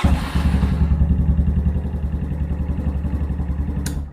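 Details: Venom Ghost Chopper 250 motorcycle, after switching the handlebar kill switch on: catches at once and settles into an even, throbbing idle about three to four beats a second; healthy start.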